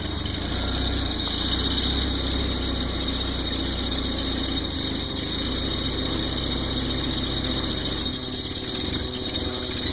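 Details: Volvo 940 turbo, cold start while warming up: low throb wavering and stumbling instead of a steady beat; rough idle, cause unclear.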